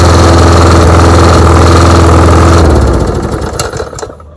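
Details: John Deere JS20 variable-speed self-propelled walk-behind mower, engine in good shape: strong, even low thrum with a regular beat, then a clean wind-down at shutoff. Healthy.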